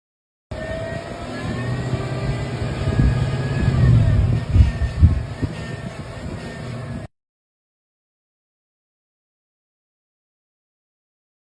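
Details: 2020 Chevy Silverado LT 5.3 V8 running with a clear whine rising and falling with revs from worn drive belt tensioner pulley; fixed by replacing the tensioner pulley and serpentine belt.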